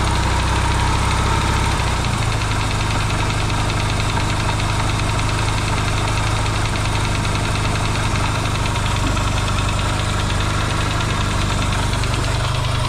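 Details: Yamaha XS650 twin, engine just reinstalled in frame after work to cure oil burning, first start: steady even low thrum at idle, quiet, no pinging or banging; smoking, owner hopes it is break-in. Normal idle.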